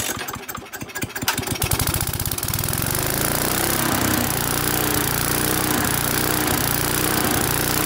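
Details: Neglected Briggs and Stratton single-cylinder mower on first start with fresh petrol catches after a few sputtering turns, then holds a fast buzz with slight rhythmic speed dips, mild surging. A lean condition is suspected, possibly from an aged carburettor; not confirmed.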